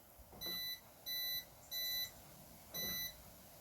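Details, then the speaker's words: Mercedes W211 E-Class after replacing the alarm siren to fix a parasitic battery drain, tested by locking the car. Short, clean high-pitched chirps are heard (one beep on unlocking, three on locking, with the indicators flashing); the new siren works properly. "Okay, so when you open it, the alarm beeps once. When you close it, the indicator flashes 3 times and you can hear the beep 3 times."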